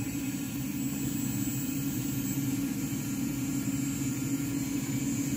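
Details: Walbro 450 LPH fuel pump (Ti Auto F90000267) on a bench flow test at 17.5 volts, raised from 40 psi to 50 psi, flow 2.2–2.3 gallons per minute: a steady, even electric hum at constant pitch with no surging or stutter; normal operation.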